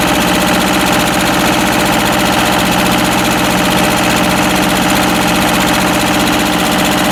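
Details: Westwood lawn tractor's Ruggerini twin-cylinder air-cooled vertical-shaft diesel, previously hydrolocked, after repair; loud, steady clatter with an even beat and no misses or knocks, running healthy.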